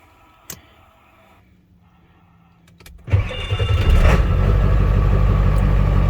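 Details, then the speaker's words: Ford truck that had a very rough, jumping idle at about 70 degrees, tuner switched off, after a cheap simple fix: cranks, catches after about three seconds and settles into a steady even idle with no surging or hunting. "so as you could see like new no issues so yeah do keep that in mind if you do get a crazy uh uh idle jump in uh they call it a lope i guess or whatever the hell but uh yeah if you get some crazy uh rpms jumping on idle it is a very very simple fix it's cheap don't freak out"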